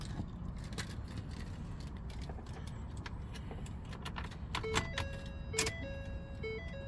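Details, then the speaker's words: 2011 Ford 6.7 Power Stroke truck, engine blown: scattered clicks and a repeating dash chime, no cranking or firing; batteries dead. "batteries are dead okay so we definitely got battery problems oh we got battery problems"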